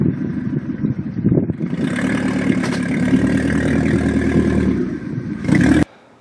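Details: 1992–1996 Toyota Camry engine revving roughly with a loose clatter, then cutting out abruptly; hard starting, white smoke, stalling 3–4 times at startup, before the standalone wiring harness, which afterwards fires it up every time.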